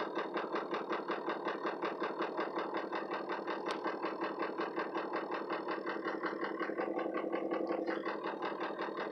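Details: Ford 6.0 Powerstroke diesel with no power and no codes: a rough, loping idle around 160 pulses a minute and no response to the accelerator, VGT reading 85%; it smooths out near 2,000 rpm, cause not yet found.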